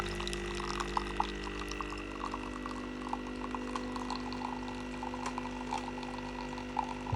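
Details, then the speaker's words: Gaggia/Saeco Nespresso SUP022 coffee machine after LCD display repair: quiet steady pump drone with faint trickling of coffee into the cup, no knocks or straining, during a large-cup pod brew; brewing normally, descaling still needed. "that seems to be brewing nicely. Like I said, I will have to descale it with some descaler. And that sounds good."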